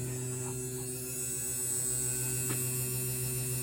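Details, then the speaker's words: Rebuilt spare 1978 Honda CX500 starter on the bench at about half speed (5.3 V, 26.5 A via variac and rectifier), kept slow so armature wires aren't thrown; steady even hum, no scraping, clicking or rattle. Normal run. "so it's about half speed uh you don't want to go too fast because otherwise it's gonna basically you could throw those wires out of the armature and hurt it uh it seems pretty good"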